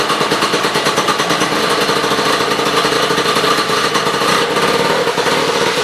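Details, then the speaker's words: Sno Jet two-stroke snowmobile, key-started, running off its own tank after new fuel line and filter: fast buzzy note holding steady even beat with no sputter or dropouts; throttle works, runs cleanly. "Throttle works good. Yeah, it's a runner."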